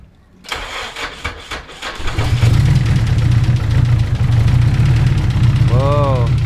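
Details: Nissan Sylvia, turbo engine, first start after intake manifold and injector install: cranks a few beats, catches and settles into a steady, slightly lumpy fast idle held high for oil pressure; running a little rich.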